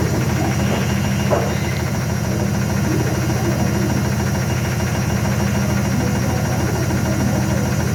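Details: IFB washing machine making very loud noise during spin cycle: heavy, steady droning rumble with strong vibration throughout; cause not evident by ear.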